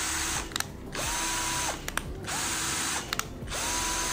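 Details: Sunc S12 12 V cordless drill in reverse: three short trigger pulls, each a clean whine rising and falling with no grinding or catching. Reverse drive works with no problem.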